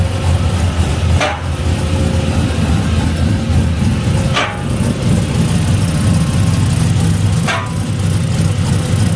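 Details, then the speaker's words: LS V8 swapped into a 1988 Ford Bronco, new tune, early running: low, uneven lumpy idle with a sharp tick about every three seconds; running rough and possibly rich, severe oil leak; cause suspected, not confirmed. "Alright, so we're running, but we're not happy. No, it's not happy. I think the 99... I can see it rich."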